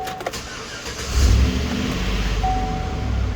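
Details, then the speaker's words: 2013 GMC Sierra just after installing new catalytic converters; quick crank catches cleanly into a steady deep idle, no ticking or puffing, no exhaust leak, only fans heard: normal start. "Woo! Nice and smooth. Shit, yeah. There you have it. No exhaust leak. All you hear is those fans."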